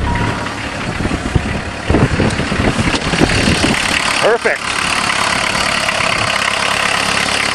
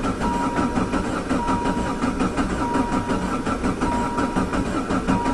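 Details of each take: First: Diesel caravan van with a converted Jetta engine, high kilometres, cold start after hand-priming an empty injection pump: a loud, steady diesel knock at idle with a few louder thumps early on. This is the normal cold clatter of a healthy engine. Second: Diesel van converted with a Jetta diesel engine, sitting since autumn, with a corroding injection pump. Long starter cranking after glow-plug preheat with no firing, due to air in an empty injection pump. It was fixed by hand-priming the pump with diesel.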